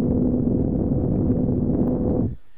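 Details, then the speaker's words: MFJ-4125P 25 A switching power supply with a replacement fan from a junk box, run at 13.8 V with the mic held close. Even soft whoosh with a faint hum, no ticking or rattle, barely audible: normal quiet fan. "I'll turn the supply on here and this one's pretty quiet I I'm kind of leaning towards this one right now cuz I can barely hear it it's very quiet"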